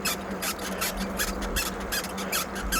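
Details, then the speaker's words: Aipas M1 Pro e-bike, assist not engaging: a sharp rhythmic squeak two to three times a second that keeps pace with pedalling. Owner suspects the center shock under the seat. Squeak while riding. "And I'm not entirely sure where the squeaking's coming from, but I'm I'm wondering if it's coming from the center shock."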